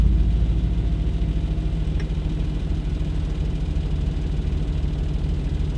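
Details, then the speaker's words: Audi B7 RS4 with EPC, check-engine and traction-control lights: steady low idle rumble with faint buzzing vibration; loose folded rear seat rattling inside the car, not an engine fault. "and that vibrating you hear back there don't mind the crap I have in the car okay the seats are in remember those Flopper things at the back the sound isn't actually the sound is from those"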